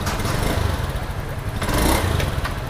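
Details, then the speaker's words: Honda Scoopy injection scooter stumbles and limps when throttle opens at initial pull; fuel pressure 40.3 psi, injector, air filter and plug already fine or replaced, ignition coil suspected and tested next. "coba gas khasnya Bro Nah itu dia seperti pincang ya Bro tuh liat"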